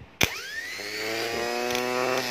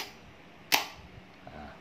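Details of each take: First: Starter motor bench-tested for a no-start engine: snap of contact, then a whine rising quickly to a high steady pitch. It spins fast and freely, so the motor itself is healthy. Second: Starter motor on the bench, small ignition-key wire touched to trigger it, for a no-start engine: two sharp clacks about a second apart, pinion throws but the motor does not spin. Suspected worn solenoid contacts, fixable with a 10-sen coin.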